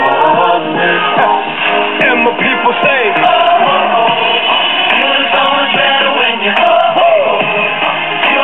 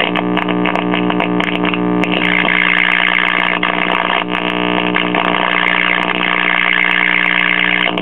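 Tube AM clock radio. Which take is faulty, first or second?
second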